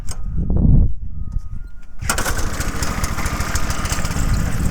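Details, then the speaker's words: Homemade mini tractor with a 6.5 hp Harbor Freight Lifan single-cylinder engine, claimed non-running by previous owner: catches on the first pull and settles into a steady, even putter with no misses; normal start and idle. "First pull, she's a runner."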